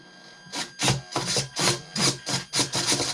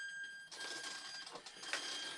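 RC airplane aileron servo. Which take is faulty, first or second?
first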